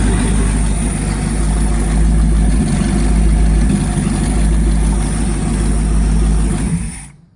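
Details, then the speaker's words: Chevy truck V8 built over two years for Orange Peel, freshly broken in with oil changed, temporary non-Quadrajet carb; strong, even idle with a couple of smooth blips, no knocks or ticks, then a clean shutoff; 50 psi oil pressure at idle. "It says 50, but you can't see it, but 50 pounds oil pressure at idle. As you remember, this is just a truck motor, nothing wild, nothing spectacular, just,"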